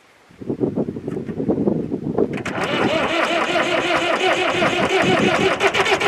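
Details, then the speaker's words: David Brown 996 diesel tractor, sitting about 10 years, first crank on leads wired straight to the battery with a switch in the negative lead: slow, labored cranking for about two seconds, then it catches and settles into a steady, even clatter; normal start. "it's time to point the bullet and see does this thing crank over here"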